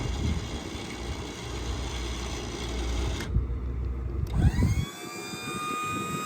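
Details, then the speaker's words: 2016 Ford F-450 utility truck with Liftmoore 3200 electric-over-hydraulic crane, no PTO: steady low electric pump drone whose whine settles once up to speed. Normal hydraulic pump running. "Now obviously it's an electric over hydraulic. You can hear that pump kick on, so there is no PTO. So you can run this while the truck is off."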